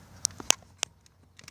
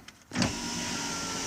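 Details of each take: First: 2003 Chevy S10 crew cab passenger power window, key on, door panel off at the motor: a few sharp isolated clicks, no motor hum or glass travel; regulator arms jammed because the outside weather seal moved out of place. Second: 2003 Chevy S10 crew cab passenger power window after freeing regulator arms jammed by a displaced outer weather seal: smooth, even motor whir for over a second without catching or grinding; window working normally after repair.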